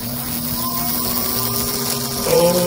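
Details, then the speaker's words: Restored slot car motor, freshly reassembled with axles and shoes oiled: even, steady electric whine stepping up in pitch as power rises; smooth-running, sounds much better than when acquired. "that sounds much better it did when we got it"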